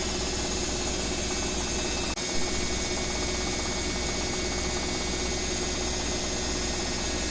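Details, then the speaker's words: Owner's BWS24 washing machine on a 4-minute spin: a steady, even hiss and hum of the drum spinning at speed, with no banging or grinding. Normal spin, much quieter than the neighbour's Midea HealthGuard. "Coloquei 4 minutos, né, pra centrifugar. Assim que passar pra 3, ela já vai começar a subir."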